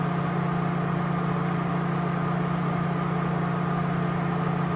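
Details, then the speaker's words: 2004 Mazda MPV LX with code P0480 (fan relay 1 control circuit), engine cold: steady, loud fan roar starting as soon as the key is turned on. Cooling fan stuck on high speed. "um I kind of I had an idea about that because if you noticed I don't know if you can hear it but as soon as I put the key on the fan kicked on at high speed and this vehicle is cold"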